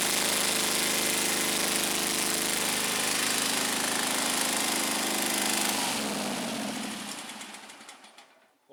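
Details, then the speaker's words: Scag Turf Tiger 61 with Kohler CH25S engine that shut off when blades engaged: lumpy beat on one cylinder, stalls when the other plug lead is pulled; dead cylinder from failed ignition coil, fixed by coil replacement. "there's our problem right there very easy diagnosis this cylinder is dead for whatever reason the tractor's not even running on this cylinder"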